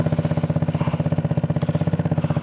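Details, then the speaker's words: Go-kart with 150cc single-cylinder engine, intake snorkel disconnected, exhaust whose whole back fell off: loud blatty idle with crisp even pulses around ten a second, open unmuffled bark; damaged exhaust. "for this thing not having an exhaust, well, it has an exhaust, but it doesn't exactly work how it's supposed to because the whole back of it fell off."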